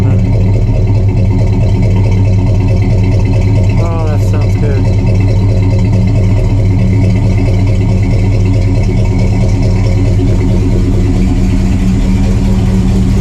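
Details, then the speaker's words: 1968 Pontiac LeMans cold-started after sitting most of the winter and warming up, needing throttle before it would idle alone: deep, steady, even idle with no stumbles; a possible fuel leak is noted. Normal warm-up idle. "All right, she is finally idling on her own."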